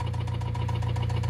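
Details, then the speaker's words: 2000 Honda Civic Si (Canadian spec, EJ8 D-series) while driving home after purchase: hard, rapid metallic knocking about fifteen per second over deep engine drone; heavy engine knock, exact cause unconfirmed. "I don't know how well you can hear me right now, but I am currently driving my Honda Civic that I just bought home after buying it, and it is knocking like there is no tomorrow."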